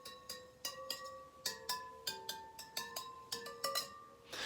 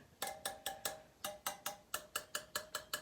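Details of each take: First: Yamaha TTR125 rear wheel spokes being tapped one by one with a small wrench to check tension. Each gives a clear, bright ring that hangs briefly, showing a properly tensioned spoke; a loose spoke elsewhere on the wheel sounds dead. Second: Yamaha TTR125 rear wheel, spokes tapped with a small wrench: most ring clear while one gives a dull dead note, a loose spoke.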